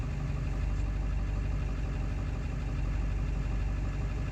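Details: 7.3 diesel still idling rough after ICP sensor replacement: low, uneven idle with a loping knock about three times a second; rough in person, cause unknown.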